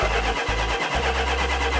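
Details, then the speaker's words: 1972 Dodge Charger Rallye, fuel lines possibly not hooked up: starter turns the engine over with an even churning beat but it never fires; crank no start, cause unconfirmed. "i'm starting to see martian a little frustrated and flustered at the 72 dodge charger because it won't start at first it wouldn't even turn over"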